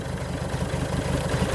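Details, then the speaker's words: Diesel car at tick over, cold and warming up before the cleaned DPF is refitted, exhaust open at the downpipe with nothing after it, battery charger attached: rapid, even, loud unmuffled chug. "look the engine is just running on the tick over at a minute I'm just trying to warm it up a little bit before I get the DPF as you can hear it's just a downpipe there's nothing else on there"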